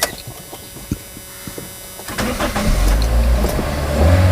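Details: Car that wouldn't start, battery removed and recharged: a few quiet clicks, then the engine catches and settles into a steady low idle without hesitation; starts normally, and the alternator is charging.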